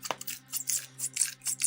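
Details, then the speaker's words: Delta moped front fork, pumped up and down by hand after a repair to stop its knocking: soft oily swishing about twice a second with no thud or knock at the ends; the fork now sounds normal. "масовко гоне туди назад все нормально АС я короче попробую назад його стукати нема ніякого стукиту"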